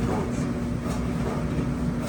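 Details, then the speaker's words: Old Maytag dryer running during repair, after wires were clipped away from the drum: a steady, heavy rumble and roar with no clear rhythm, louder than before. Something seems loose, but the cause is not found. "so guys I literally just made it sound worse bro how could how did I manage to make it sound even worse oh it really sounds like I've been taking time bomb"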